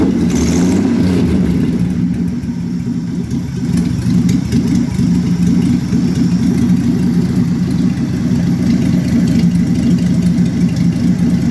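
A deep, uneven idle with an irregular lope of about two beats a second; the six is clearly running rough, cause not evident.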